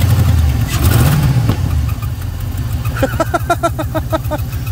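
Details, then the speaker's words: GMC Yukon Denali, days after being swamped in a water crossing, battery boosted, first start attempt: cranks, catches with a loud pop, then settles into an uneven lumpy idle about three pulses a second; backfire and rough running on start. "bit of a backfire [Music] no i was expecting a lot worse"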